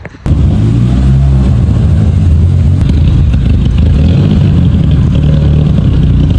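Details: Misfire at idle on a VW Mk5 Golf GTI with cylinders 1, 2 and 3 misfiring: loud, lumpy idle with a deep uneven throb, sounding like dropped cylinders after smoke from the bonnet. Owner suspects the PCV valve, then the cam follower.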